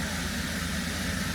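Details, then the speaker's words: 2017 Holden Commodore SV6 with LFX V6 at a quiet idle, said to be around 500 rpm, with a soft even hum and no roughness, after an oil and filter change and six new plugs; running beautifully. "But look, the car's running beautifully. You can't even hear it."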